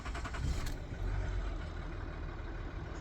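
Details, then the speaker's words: 2011 Ford Territory 2.7L V6 turbo diesel with a dead in-tank lift pump, air bled from the fuel system by vacuum on the return line. Brief crank, then it catches and settles into a steady low diesel rumble; not stone cold. "It started pretty happy. It's not stone cold. Don't panic. It has been going."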